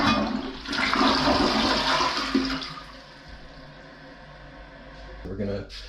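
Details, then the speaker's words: Newly installed Niagara Stealth two-piece 0.8-gallon-per-flush toilet: short, very quiet rush of water tapering into a quiet refill trickle, no hiss or gurgle, no leaks; normal flush. "i barely heard the flush yeah i can't see anything interesting that was very very quiet"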